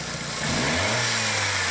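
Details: 2003 VW Beetle 1.8T with many codes (boost control valve N249, misfires, lean trim, pressure drop turbo to throttle), owner complaining of hissing, engine quickly revved: pitch climbs and a loud airy hiss rises under boost; split boost hose leaking.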